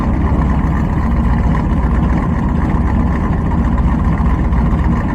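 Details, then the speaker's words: Cold-start fast idle of a carbureted engine tuned for winter daily driving in northern Alberta, recorded down by the exhaust; steady deep rumble with even beat, idle and tone rising as the choke works properly. "and you can hear it it's coming up it's actually working properly we're going to let her sit here for another probably 2 minutes see how the high idle comes up"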